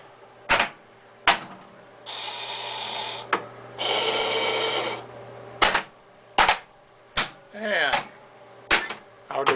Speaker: diverters seem to be working fine.